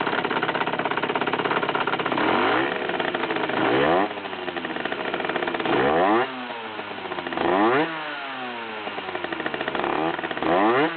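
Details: 50cc two-stroke motorcycle, noise began a month after crankshaft and clutch replacement: rattling and clattering at idle, when clutching and at low revs; abnormal noise, source unclear.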